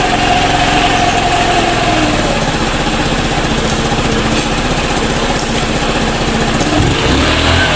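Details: Motorstar Easyride 150 single-cylinder after fixing misfire caused by stale fuel; even, steady idle with no stumbles or dropouts, misfire gone: normal idle.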